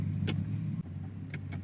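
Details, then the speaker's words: Infiniti Q45 backing slowly in reverse after an axle clunk and click repair: a quiet low engine hum with only a few faint ticks and no clunks. The driveline is now silent and healthy. "but no cluns let's go backwards a bit no it's silent now"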